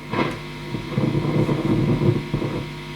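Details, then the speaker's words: Fender Twin Reverb, vibrato channel only: irregular low crackly grumble in uneven bursts over the hiss, gone when channel volume is turned down; not very obtrusive, a noisy preamp valve is suspected, not confirmed. "it's not particularly obtrusive but um it might be a bit annoying for the customer it's only on the vibrato channel"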